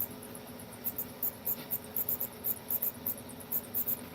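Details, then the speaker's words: Electric fan running in a trailer: quiet room hum with short, sharp, high squeaks every fraction of a second. The owner adjusts the fan and plans to turn it off if it keeps squeaking; the cause is unknown. "I've got the electric fan going but you can hear the fans squeaking of course I haven't hold on let me adjust it well if it squeaks again then I will definitely turn it off because I don't really need it"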